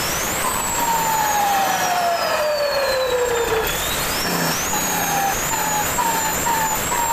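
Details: Mitsubishi 6D16 diesel with added turbo, revving: clear high whistle gliding down as revs fall and rising on throttle blips; normal healthy turbo sound.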